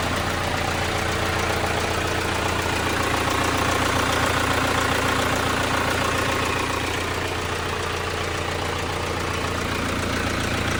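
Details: Hyundai Santa Fe common-rail diesel that would not start, now running after battery charging: steady, even idle clatter about two beats a second, no misses; check engine light traced to loose MAF connector.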